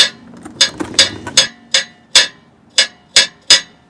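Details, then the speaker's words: 2012 Ford F-150 3.5L EcoBoost: sharp tinny metal clinks as the loose heat shield on top of the exhaust pipe is shaken by hand. The sporadic rattle shows on starting, especially cold days. Being fixed with a stainless worm clamp around it. "And we can see that there is a metal shroud or a heat shield on top of that exhaust pipe. If I move that, I get a little bit of a rattle."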